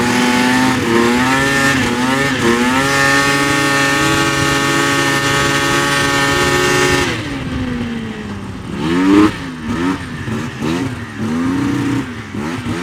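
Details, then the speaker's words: 1999 Yamaha VMAX 700 two-stroke triple snowmobile, low miles, new track, outdoors: idles well and opens up at high rpm, but the note sags and stumbles at mid throttle, a bog; one spark plug later found lean. "well seems to idle well it opened up real good when you get into the high RPMs but like mid throttle she's just [Music] bogging"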